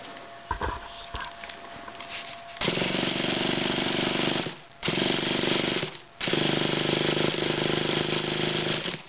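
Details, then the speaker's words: Traxxas RC car engine that has sat for a while: three bursts of high buzzing starter spin turn the engine over, but it never fires. Owner suspects a slipping one-way bearing needing replacement. Cranks but no start. "oh there it's spun a bit yeah I think it needs a new oneway barar it um seems to be slipping or [Music] something"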